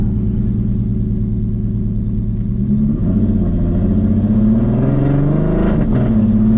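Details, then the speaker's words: Audi RS3 with a swapped stock VR6 engine, on a rough base-file tune, under load on first drive at about 83 °C: uneven, lumpy note wavering as revs climb. Rough running from the base tune. "it sounds so rough. Just base file tuned and I'm putting load on it."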